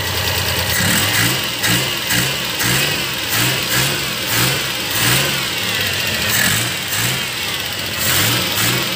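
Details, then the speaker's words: Suzuki Multicab F6A 12-valve engine running with carburetor fuel return line blocked, no fuel coming back to tank: engine surges and sags roughly every second instead of holding steady, flooding and about to die; fix is cleaning the return. "Barado to. Yan. Maya-maya mamamatay to ang makina dahil napa-fladed dahil walang return."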